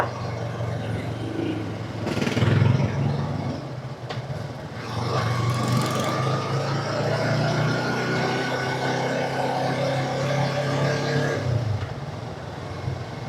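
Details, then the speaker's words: Yamaha YZF R3 after refitting the stock exhaust, riding test through gear changes at speed: engine note climbs and drops cleanly with no pops or crackles off throttle. Much quieter; the backfire the loud pipe gave on hard gear changes is gone. "Wala nang pabomba nito guys. Tahimik na eh."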